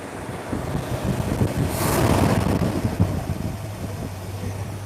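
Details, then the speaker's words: Six-pack car taken off choke: soft, even low burble at idle with quiet mufflers and a brief gust of wind; smooth and steady. Charging system and cooling already checked OK; a front-end noise is still to be found. "There she is. Is that smooth or what? Hey? Does that sound like a 6-pack to you? Very quiet, doesn't it?"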